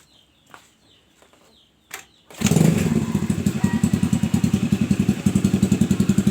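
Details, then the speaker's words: Honda Vario 110 (old model) with the battery connected, test of the battery and regulator feeding the ignition: a few quiet taps, then one kick-start catches at once and settles into a steady, even idle of about four beats a second. "Oke ya teman-teman, motor ini langsung jereng ya. Motor ini saya selah 1 kali langsung normal, langsung jereng ya teman-teman."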